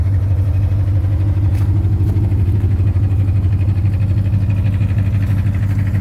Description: Hello guys, does anyone recognize this knocking sound that my car is making? It is a 2010 Ford Mustang GT. I have been told it could be rod knock/ lifter tick?